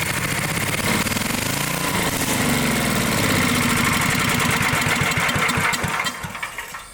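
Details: Dayton generator engine, unused 30 years: uneven chuffs, surging and barely holding speed on choke before dying; carburetor starved by clogged main nozzle.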